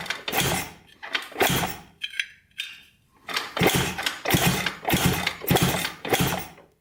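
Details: 1980 Honda CR250 dirt bike, reported no spark, kicked over after fitting a coil while checking for spark with the plug grounded to the head: short compression whooshes with no firing. Cranks, no start; no spark seen.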